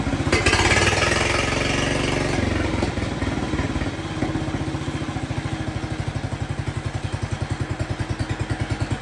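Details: Jacobsen Chief 1200 tractor, cast-iron Kohler 301 single, after sitting about 3 years; aftermarket Chinese carburetor adjusted. Drops from a fast idle to a slow, even thump with no misses or stumbles. No smoke; normal, healthy idle.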